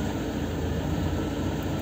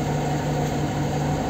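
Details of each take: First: Lada Kalina 1 with LPG, owned just under a year, after the throttle was adjusted: idle switched from petrol to gas dips slightly, then holds a steady, even 800–900 rpm with no misses or hunting. A normal idle. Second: Lada Kalina 1 on petrol at the first start: a steady, slightly raised hum with no dip or hunting. The idle is noticeably high, which the owner says did not happen before.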